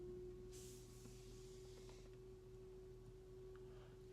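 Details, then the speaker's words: Tesla Model X cabin during a software update, screen not working: a steady, pure tone of about 400 Hz over a low hum, coming from inside the car, then stops; source unknown. "know if the mics gonna pick this up but that is coming from inside the car I don't know why I don't know what that is oh it stopped like if the cars doing a software update why are mechanical things happening"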